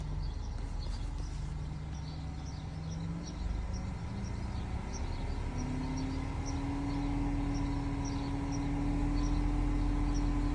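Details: BMW E60 530i with M54 petrol engine running with a steady low whine that rises slightly and grows louder toward the end.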